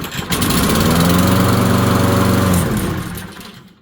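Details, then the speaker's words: Small-engine lawn mower started cold with the choke closed on fresh ethanol-free gas; it catches on the first pull and settles into a steady, even single-cylinder putter with no stumble, a healthy cold start; stale gas loses volatility and makes starting harder. "starts with one pull and that is because the gas in it is fresh gas"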